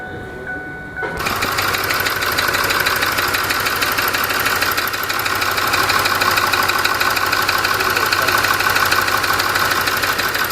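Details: Ford 6.4 diesel running with a steady, sharp tapping about three times a second over the clatter; a knocking noise, cause not yet known.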